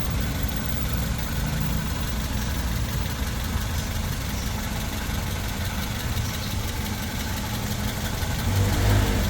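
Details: Toyota 2NZ-FE engine, previously noisy, after the oil strainer was cleaned; a steady, low, even idle with no knocking or ticking. It sounds healthy and settled.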